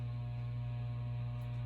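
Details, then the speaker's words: SMC/Galleria 30-inch hugger ceiling fan on the factory low speed: steady, loud low hum, louder than on medium, with no beat or rattle; owner suspects this SMC draws more current on low, probably running two coils. "I think this is probably one of those smc's that draws more current on low than medium hence why it gets even louder on low"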